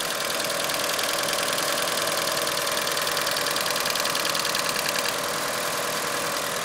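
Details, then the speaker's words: 1996 Mitsubishi Eclipse GST, bone-stock 4G63 turbo, no exhaust mods, at idle: light fast tick about three per second over steady idle, getting louder then fading; comes and goes, usually disappears once warm; owner suspects lifter tick. "it gets a little louder and then goes away uh I'm assuming it's a lifter tick but I mean I'm looking for comments to see what anybody else thans uh like I said it comes and goes usually when the car warms up it goes away"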